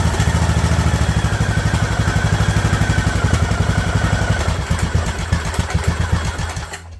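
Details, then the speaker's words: Craftsman LT2000 riding mower engine after straightening the throttle linkage, which had held it from idling slower: slow, uneven thumps near four a second drag lower and stumble until it almost stalls; idle is set too low. "there we go I actually got it too slow try that"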